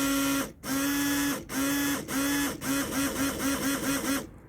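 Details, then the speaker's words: Renault Clio 3 windscreen washer pump after replacing the faulty pump: strong steady hum in short bursts, then quick clean, even pulses; the new pump works. "je pense que vous avez entendu le bruit bon ça fonctionne c'est à la pompe c'est à la pompe qui était défectueuse pompe à eau d'essuie-glace à changer"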